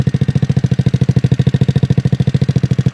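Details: 2004 Yerf Dog GX150 go-kart single-cylinder engine at idle: even thumping about eleven beats a second with a light tap riding on it, valve lash still off; starts easily, runs fairly well but breaks up at mid RPM.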